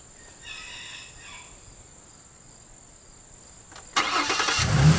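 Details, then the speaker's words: 2005 Ford Mustang that sat about 12 years, first start of rebuilt, retimed donor engine with drained fuel and new fuel filter: fires at once and settles into a steady, even, smooth run, healthy start. "Hell yeah! Yes, sir! There she is, Vern. Smooth. Smooth. Oh man, is that nice."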